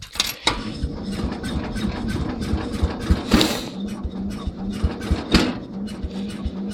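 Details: Cub Cadet 129 garden tractor, kind of a pain to start, poor wiring: small single running roughly with irregular thumps and surges about every two seconds as the choke is reduced; stumbles, cause not yet known.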